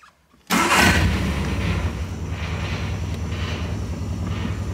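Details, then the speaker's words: Warm Triumph MkIII Spitfire engine: the note jumps abruptly, then settles into a heavier, slightly pulsing drone with some whistling. Owner thinks the alternator kicked in; cause unconfirmed. "we could almost hear that alternator kick in hey that was weird let's do that again what's uh is it pulling that much"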